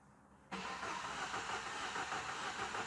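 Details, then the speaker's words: Peugeot 508 1.6 petrol turbo with misfire at idle, relative compression test: starter cranking with limping, uneven cadence; one cylinder has almost no compression. "you can probably hear from the cadence of the cranking that there's a bit of an issue going on but we want to prove it we want to get a definitive result and show the customer"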